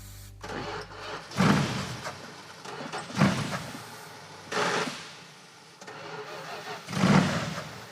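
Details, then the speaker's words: Big-block 1980 Chrysler Mirada started on starting fluid: four cranking tries, each catching with a brief roar then dying as cranking stops; the ignition drops out because the ballast resistor is disconnected, and it idles once reconnected. "does sound like the ignition shuts off where's the ballast resistor aha that's why that's disconnected oh that explains it"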